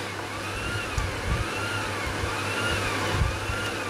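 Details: Pioneer CT-200 cassette deck capstan motor running while voltage is monitored on a multimeter: high motor whine wavers up and down in slow waves with soft bumps; unstable speed, owner thinks the regulator on the motor's control board is failing.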